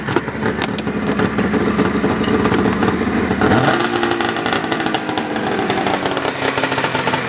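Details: 1999 Arctic Cat ZRT 800 two-stroke snowmobile, being parted out: busy clatter at idle, then a quick throttle blip raises the pitch before it falls back; engine runs and responds to throttle.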